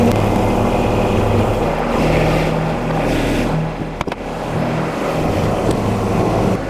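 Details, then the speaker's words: John Deere 2210 sub-compact tractor, Yanmar diesel, just after oil, filter and air filter change, having been stalling: steady, even idle with a low hum, no knocking or rattling; normal idle. "can hear I've got the John Deere 2210 running and it purs great now"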